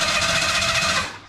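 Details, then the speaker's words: 1985 Bronco II, 2.9 swap, A4LD transmission: fast even cranking that never catches; battery ruled out, ignition problem suspected, possibly neutral safety switch, not confirmed; cranks unusually fast. "It's something with the ignition. >> Something with the ignition. Like it could be a neutral safety switch. Man, that thing cranks like crazy."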